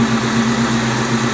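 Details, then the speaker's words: Salvage-auction car on a Copart lot, with a service engine soon light, airbag light, brake light and no brake pedal (hydro brake fitted), likely a Diablo Sport tune: smooth, even low burble at idle, steady throb, no ticks or knocks; sounds very nice, normal idle. "she sounds very very nice"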